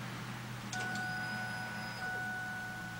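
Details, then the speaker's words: 1997–2002 Ford Expedition that cranks but won't start, gas gauge reading empty despite seven gallons added: faint, steady mid-pitch hum of the electric fuel pump running at key-on while being tested with jumper wires. Normal fuel pump run. "no no but you heard the fuel pump I couldn't cuz of the cars"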